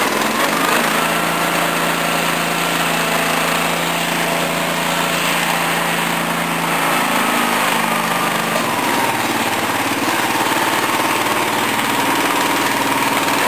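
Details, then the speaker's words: Small-engine mower, Honda 13 hp OHV or Briggs 14 hp OHV V-twin, under repair: screams at high speed with a busy, uneven beat, dipping slightly midway; high revs but lacking power. "telling you that engine has loads of speed but no talk"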